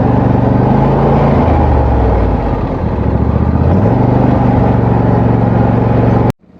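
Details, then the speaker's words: Wheel Horse tractor with blades engaged, after earlier strange running noise, now running normally with blades at full speed, no known fix; steady low throaty drone with a brief rev dip that recovers smoothly, no knocks or rattles. "i want you guys to hear this it sounds completely normal it's running normal again the blades are spinning at full speed"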